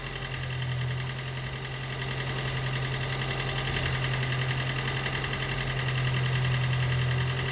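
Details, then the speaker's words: Gen 2 Toyota Prius 1.5L hybrid with codes P3190, P0A0F, P3000 and P0A80, engine running after being spun a few turns while the HV battery charges: lumpy idle with a soft thump about three to four times a second. Diagnosed low compression, causing the cold no-start. "And I know what the problem is. Actually, the compression is too low."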